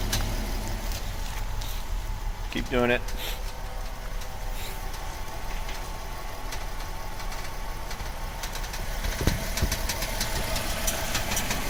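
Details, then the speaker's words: VW Atlas, stationary at idle, wheel turned fully left and right: short dry creak from underneath, not the strut towers; TSB 48-20-01, excess tension between the electromechanical steering servo motor and gear housing, fixed by loosening and re-torquing. "definitely not from the strut towers. It's all from underneath. Yeah. It's not the strut towers. Not the strut towers. It's all coming from down here."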